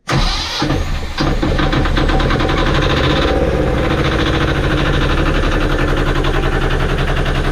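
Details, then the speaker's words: Sailboat engine just after new starter motor installed; brief crank catches quickly, then steady even low idle, no grinding, smoother than before. Normal start and idle. ">> It's just a new start motor. >> Okay. >> New start motor. It just sounds a bit smoother, doesn't it?"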